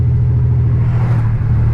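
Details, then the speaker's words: $200 salvage-auction BMW 325xi E46, all-wheel drive, driving down the road: deep, even exhaust rumble with steady firing, no misses or knocks, smooth but loud; normal running. "And by the way, it's running great. Running great, guys. Driving smooth down the road."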